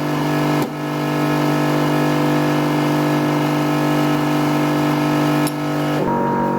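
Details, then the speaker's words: 1973 Dodge Dart with a freshly rebuilt 360 (roller cam), first-start prep, frame-mounted electric fuel pump priming to about 5.5 psi; loud, steady buzzing hum at a constant pitch with no surging or rattle, so the pump is normal but noisy. "Man, this pump is loud. It's kind of how all on-frame pumps seem."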